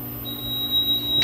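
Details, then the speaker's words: Firetrol diesel fire pump controller, model FTA 1100-J 12N, switched from auto to off for riser flow testing: the fire panel sounds a steady shrill high-pitched supervisory tone before it is silenced; supervisory alarm because the controller is off. "And the the fire panel now has a uh supervisory. So we're just going to hit silence."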